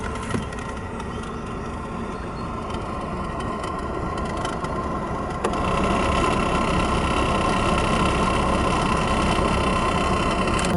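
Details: 1992 Volvo 940 GL, B230FB engine: fast papery ticking and rattle from the cabin blower fan, louder as speed steps up; leaves found in the blower motor.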